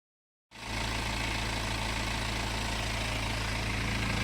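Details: BMW N47 20d 177 PS diesel at idle, May 2020, about 30,000 km after a January 2019 timing chain replacement, same phone as before: smooth, even idle clatter with no clacking, rattling or scraping from the chain drive, which sounds healthy.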